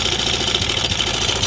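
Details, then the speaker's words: Honda Air Blade scooter at idle with the cam chain tensioner held pressed down as a test: smooth, fast, even hum with no chain slap or rattle, confirming the fault; replacing the cam chain tensioner fixes it. "Anh nghe thấy nó em chưa nói thì cần thay cái phần tăng cam Thế là xong xe lại ngon lành không đáng bao nhiêu tiền cả"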